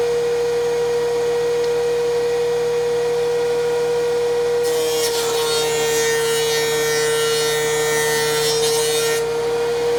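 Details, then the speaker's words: DeWalt 735 planer after chip ejector impeller repair, one pass on a maple board: steady motor hum, then a smooth, even cutting hiss with no rattle or knock, so it runs normally and is much quieter than before the repair. "you can see the machine's running good again um it's much quieter than it was before the repair and we're ready to use our DeWalt planer again"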